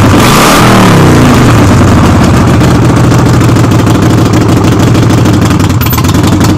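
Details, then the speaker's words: Harley-Davidson Sportster on a jack, rear wheel off the ground, in neutral, warming up for an oil change: V-twin revs, then settles into a steady, even lope with a freight-train rattle, no misses or knocks; normal running. "well this thing kind of rattles like a freight train when it's running so you're gonna have to excuse that noise"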